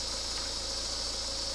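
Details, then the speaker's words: BMW 318 diesel idling after coolant work; a loud, steady high-pitched belt squeal because antifreeze spilled onto the drive belt, which may burn off; belt squeal from coolant contamination. "And you really hear the belt squeaking now. That antifreeze on there is yeah, really making a"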